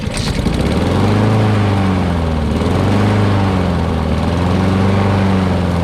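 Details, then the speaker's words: Honda HRX2168 VKA mower, single-cylinder, after replacing auto-choke thermo wax cartridge (previously would only start on starting fluid): steady hum swelling gently and settling, no misfire; runs properly after repair. "there we go runs like a charm now"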